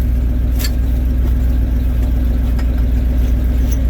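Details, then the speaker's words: Truck having sat two to three weeks: steady even low rumble at idle around 900 rpm, no knocks or misses; owner thinks that idle speed may not be right. "hmm [Music] sounds good Idol's right about idles right around 900 RPM ish I don't think that's right"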